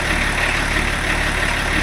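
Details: BMW E34 TDS diesel after first service in over 10 years, with new water pump, belts and most idler pulleys: steady, even idle with smooth low clatter, no squeal, chirp or knock from the belts; running healthy.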